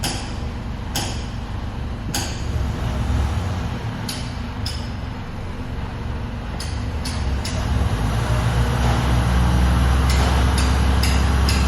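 Engine idles low and steady while sharp air hisses and clicks pop irregularly from the brake system once pressure is up; abnormal sound. Cause suspected, not confirmed.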